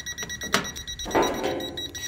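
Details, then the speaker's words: Toptes PT210 combustible gas leak detector: high, thin electronic alarm beeps with a few soft clicks, sounding as it detects gas. "you go and you can hear it beeping so you know it's going off"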